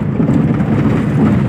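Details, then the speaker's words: Maruti Eeco school van on a very rough road: a heavy, uneven low clatter and rumble from worn front suspension joints and mounts. The van is hard to drive, the steering is unstable and it pulls to one side when released. "देखो पूरा आगे से suspension भयंकर तरीके से बोल रहा है इसका यानी पूरा खत्म बहुत ही भयंकर खराब रोड पे ले आया है और गाड़ी इतनी आवाज़ कर रही है की मानो चलाने मुश्किल हो गया"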